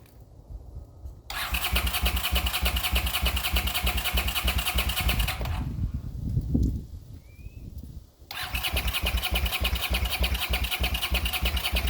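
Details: 40-year-old Honda GL500 motorcycle on first start after rebuild, fed from a temporary gas bottle: the starter churns steadily in two long bursts but it never catches. Crank-no-start; it fires on starting fluid, so fuel isn't reaching the cylinders.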